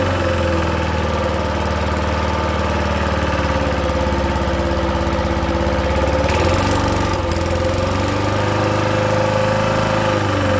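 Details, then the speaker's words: 1970s push mower with a 3 hp Briggs & Stratton single-cylinder engine, autochoke, throttle fully up: it runs steadily with a hard, uneven knock beneath the exhaust beat, a really bad rod knock, believed to have sheared the flywheel key. "not sure if you're gonna hear it it is knocking yeah it's it's got a really bad rod knock on it"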